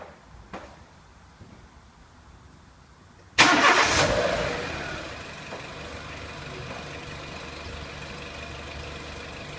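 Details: 2003 Renault Clio 1.6 petrol, intermittent stalling traced to loose crank sensor connector (sensor good), scope on analog crank sensor; after quiet spell engine catches with short crank, flares, settles to smooth steady idle; normal start and idle.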